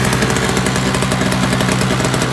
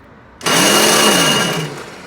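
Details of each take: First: Toro single-stage snowblower, roadside find, missing primer bulb, gas with Seafoam added: steady, even two-stroke buzz holding constant speed with no surging, misses or knocking; the engine runs normally. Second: Free roadside Toro CCR 2450 single-stage 20-inch snowblower, primer bulb missing: a short high whir of about a second fades with no engine catching; electric starter spins but doesn't engage, owner suspects frozen or stripped gear.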